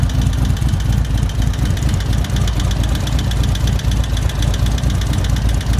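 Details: 2024 Indian Roadmaster, ThunderStroke 116 V-twin, just after a Lloydz 585 cam install and before the ECU flash: loose, uneven ticking clatter over a lumpy idle, a noisy top-end valve train, likely a lifter bled down on first start.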